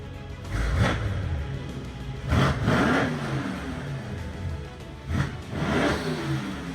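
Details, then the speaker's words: Wrecked 800 hp Mercedes-AMG E63 S V8, damaged in a front-end collision, at its first start after sitting a year and a half: crisp V8 revs rise and fall cleanly between throaty idle stretches, with no knocks or rattles; the engine sounds healthy and idles down nice. "Dude, it sounds nasty, bro. A little rev, little rev. Wow, it's crispy, bro."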